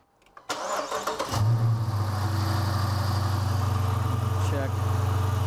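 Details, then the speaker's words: Dodge Challenger 5.7 Hemi, 40,000 miles, engine started at idle: cranks, catches, settles into steady idle with low grumble up front; cause worn water pump bearing with loose pulley, pump to be replaced. "I got me a grumbling up front not good that is not good"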